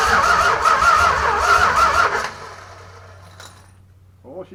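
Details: Junkyard 1965 383 V8, new distributor fitted, first start after 30+ years sitting, carb bowls filled: fires and runs unevenly with ragged pulsing for about two seconds, then dies; barely catching, plugs later found wet and black.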